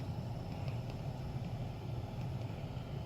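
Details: 2013 Toyota Prius C after replacing its noisy blower motor with a new one: steady, even low whoosh of air with no rattle, squeal or scraping; the cabin fan now runs smoothly and quietly.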